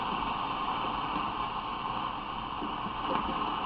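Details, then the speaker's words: Restored Zenith Transoceanic shortwave radio on about the 19 m band, selenium rectifier replaced, 105 V measured, not overheating; steady hiss and crackle with no station tuned, showing the oscillator is running normally. "if the OS layer wasn't running you would hear no background noise"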